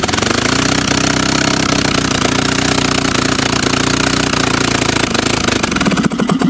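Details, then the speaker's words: Willys L-134 engine adapted as an engine/air compressor, restored, no exhaust or choke fitted: loud, raw, fast popping, slightly uneven then dying away; runs but still needs tuning. "but there's no exhaust so it's going to be noisy see no choke either so it might not run real well"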